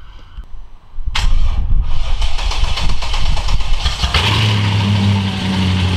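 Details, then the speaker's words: Mercedes E55 V8 after full engine rebuild, first start-ups: cranks briefly, runs rough a few seconds then settles to steady even idle; normal idle. "eband actually so yeah now I'll have to do is start the engine just let it run for a bit and just make sure that all the values are normal and that will tell me that my onion looks pretty good"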